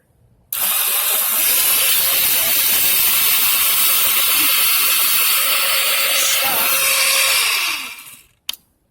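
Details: $7 scrap Razor electric scooter, solenoid latched by a power loop, throttle taped: steady even high-pitched whirr for about seven seconds then smooth wind-down; motor runs normally.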